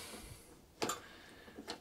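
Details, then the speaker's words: Hayter Ranger 53 mower with a drive that stopped working, gearbox greased and turned by hand: light spaced clicks, the same forward and reverse with no lock-up; drive gearbox ratcheting freely. "be working there's nothing there's no difference between me going forward in reverse so that's my concern that should lock up"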